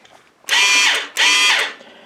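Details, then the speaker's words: Chicago Electric ~125 A flux-core welder (DC-converted), repaired after burning up, switch bypassed: two short bursts of high wire-feed motor whir winding up and down on trigger squeeze; feed working, fan not yet connected. "so it's it's working we just gotta get the fan hooked up which is no problem"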